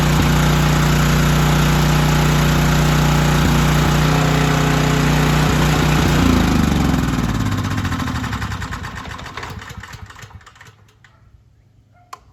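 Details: Storm generator after carburetor repair, final run while the carburetor bowl is drained: smooth even governed run for several seconds, then it starves and coasts to a stop as the fuel runs out; running normally.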